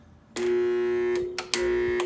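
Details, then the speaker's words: 2001 Ingersoll Rand Type 30 7.5 hp two-stage 80-gallon air compressor: two short bursts of steady motor hum and whine, about a second each, never spinning up; one of three motor start capacitors blew up, failed start capacitor. "this whining noise so after I popped the top off of it see what's going on had these things and this one blowed up these are the air motor as they say motor start capacitors"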